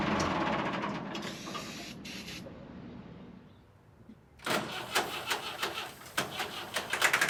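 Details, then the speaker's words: Late-1980s/early-1990s Massey Ferguson 50H 2WD backhoe loader, 4-cylinder Perkins diesel: clatters briefly, fades and dies within seconds, then uneven knocking on the next try; fuel starvation, fuel not fully primed, owner suspects air in the lines. "So for some reason, the fuel is definitely not fully primed. I think we've got some air in the lines, so I'm gonna try and correct that now."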